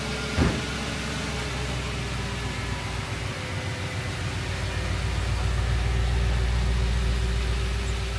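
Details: Audi S4 started and driven for the first time after pre-MOT repairs including welding, boots, seals and body panels: deep, steady engine note that rises softly as it pulls away, no knocks or ticks; it sounds mint. Normal running.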